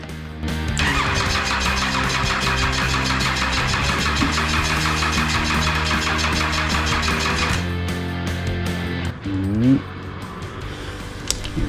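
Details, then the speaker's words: Cummins 6BT diesel being fitted into a Nissan GU Patrol, turbo on, fuel lines cracked, oil pump found empty so no oil pressure: starter cranks steadily about seven seconds with even compression pulses but never fires. "i mean it looked to me like it was trying to start which is not ideal"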